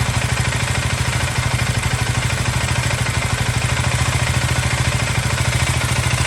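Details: KTM Duke 390 Gen 3 (LC4C single-cylinder) recorded on a phone microphone at idle: steady, fast, even low thump with light combustion clatter on top; normal healthy idle.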